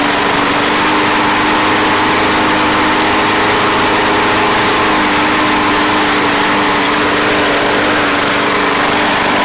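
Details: Craftsman Platinum lawn mower, Briggs 190cc single-cylinder, running after a no-start fix with a replacement carburetor: steady, even buzz, no surging or misses; gas was seen from the crankcase vent, yet it runs healthy.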